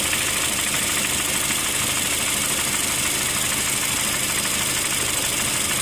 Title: 2008 Honda Fit Sport M/T Engine Knock